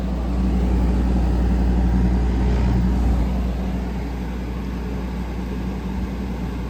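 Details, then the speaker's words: Grandmother's air conditioner after its first seasonal startup following annual cleaning (dust swept off). A steady low hum with an even drone, unchanging while pressures settle. The compressor runs normally. "Oh, there we go. She's running. We'll let this run a little bit as I do the other units, and I'll get back to y'all on this. But pressures are settling in here."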